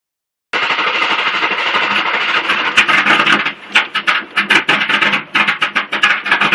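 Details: LT1 engine: the starter spins it with an even chugging rhythm, but it never fires or catches. Cranks but will not start.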